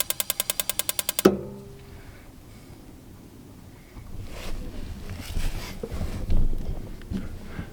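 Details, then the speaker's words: RV water heater in a horse trailer living quarters, being dewinterized after stove burners were used to bleed the gas line: about a second of rapid igniter clicks without the burner catching; air still in the gas line prevents lighting. "Still air in the system because the cooktop's there and the water heater's here."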